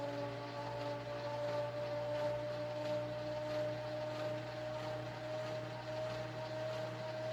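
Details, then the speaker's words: Panama Fan Co 52-inch gear-driven ceiling fan, early 1980s (c. 1982-83), mostly plastic, tiny gear-driven motor and flywheel: loud steady high whine over a deep hum with slow rhythmic churn, sounds horrific, like a washing machine; gear drive whine. "and you can clearly see and hear though why this is definitely not something that anybody in their right mind would have kept hanging or used because it sounds horrific"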